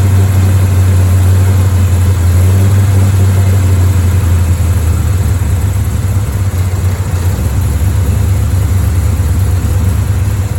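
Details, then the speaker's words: Chevrolet Bel Air V8 after setting timing to 12 degrees advance at 900 rpm, on two-year-old fuel and nearly out of gas, heard at the driver side exhaust: deep idle lopes and wavers as if about to stall; rough idle, cause not confirmed. "actually it sounds better now that i adjusted the timing and quite a bit better it sounds about the same sounds like it's going to stall too"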